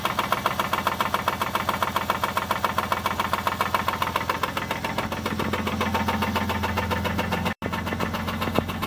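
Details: 2001 Chrysler Sebring DOHC V6 at idle: sharp regular knocking, about two and a half raps a second over the engine hum, from a bad connecting rod bearing.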